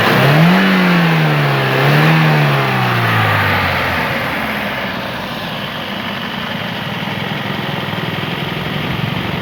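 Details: 2007 Toyota Corolla XLi engine after a misfire with check engine light was repaired: engine blips up and settles back smoothly, with an even, steady idle and no stumble or miss.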